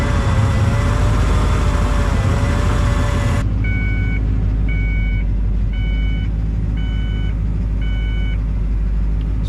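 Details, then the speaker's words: 1983 Ford Bronco XLT 4x4 with a 351 from a 1996 Bronco, cold start on a battery jumper: engine rumble gives way to a repeating two-tone dash warning chime; owner blames messy electrical, cause unconfirmed. "you can hear we've got alarms going off in this car well that one's stopped there's just the electrical is a mess"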